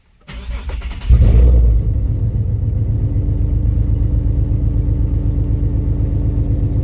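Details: Nissan 370Z, after replacing the burnt-out cylinder 4 spark plug that caused a misfire and clearing stored codes: starter cranks briefly, engine catches cleanly and settles into a smooth, even low idle with no stumbles; sounds healthy, misfire fixed.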